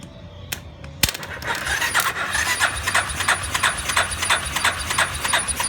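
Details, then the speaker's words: Warrior #4 single-cylinder, about 1–1.5 hours on a rebuilt motor after valve adjustment, choked, no fuel tank fitted: idles fast and even with a soft light tick, tapping much quieter than before, smoke from burning off oil; normal idle. "That definitely sounds better. That smoke's just it cooking off that burn oil, that non-burn oil."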